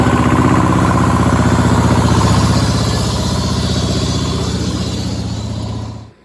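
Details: Power Pony with a two-cylinder Perkins diesel, after bleeding the fuel system (petcock suspected left off): even, steady knock at idle with no misses, then a clean shutdown; normal diesel running.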